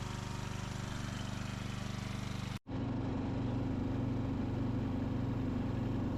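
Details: 2004 Craftsman 30-inch mid-engine riding mower built by Murray, after a new piston and connecting rod and a kill-wire short fix, mowing: even thumping, a brief cut-out, then steady under load, no rattle; normal running.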